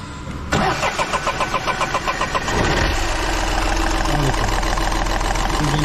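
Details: Volkswagen Polo diesel with a starting problem and bad noise: about two seconds of labored cranking before it catches and settles into a rough idle; hard starting blamed on contaminated diesel fuel, diesel filter to be changed.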